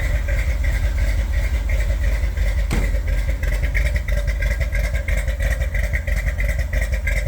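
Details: 1978 Corvette V8 idling with windowed valve covers fitted for diagnosis: a loping, uneven beat with light ticking on top. Worn, flattened camshaft lobes and a worn hydraulic lifter are costing cylinders their valve lift.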